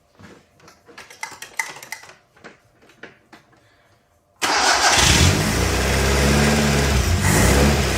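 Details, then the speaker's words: 1959 Alfa Romeo Giulietta Sprint, parked several years, suspected dirty carburetor idle circuit: faint clicking, then the engine catches and runs with an uneven, lumpy beat, cutting out and getting worse; rough idle, cause unconfirmed. "Yeah, it's cutting out. Getting worse."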